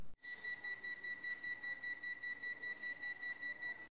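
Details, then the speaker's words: Panasonic mini split inverter AC indoor unit in check mode: clear high beep repeating about 2.5 times a second, confirming stored error code H11, an indoor-outdoor communication fault. "A lambar kuskuren h11 naúrar cikin gida tana ƙara sau huɗu zuwa sau biyar, wannan yana nufin cewa wannan kwandishan yana da lambar kuskure h11 a ciki,"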